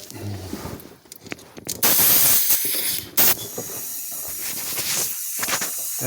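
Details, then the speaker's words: 1988 Ford F-150 5.0 EFI V8 misfiring, leak-down test on low-compression cylinder 7 with rocker backed off: loud steady air hiss escaping past the piston into the crankcase, not intake or exhaust. "as you can hear, you can hear that air coming back through there. It's not coming through the intake. It's not coming through the exhaust."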